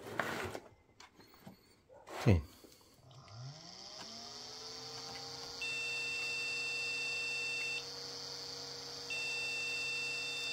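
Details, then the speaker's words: Jukebox mini Pentium PC after its RAM was moved to a different slot. The fan spins up, then long high-pitched beeps repeat with pauses as the board rejects the memory. Swapping in PC133 memory later lets it boot. "lots of beeps uh I'm going to get some different memory"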